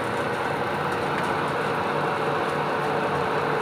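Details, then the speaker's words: Whirlpool WGWGD3000 gas dryer restarted after tracing why the igniter got no supply voltage: even rushing drum noise over a constant motor tone, no scraping or thumping; motor runs and drum turns normally, igniter now glows. "Ayan, i-start natin. Ayan, umandar na yung motor."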